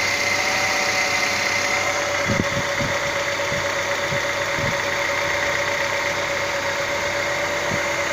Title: Стук гидрокомпенсаторов.